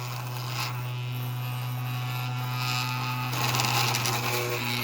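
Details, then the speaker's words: 3D-printed maglev spinner with ring neodymium magnets at about 11.7 V, full speed: constant low electric hum with rattly buzz on top; owner suspects the homemade housing leaves it off balance. "it's gotta be from the way i built the housing itself and this thing is off balance a little bit i mean it looks like it's spinning fine but it's definitely off balance"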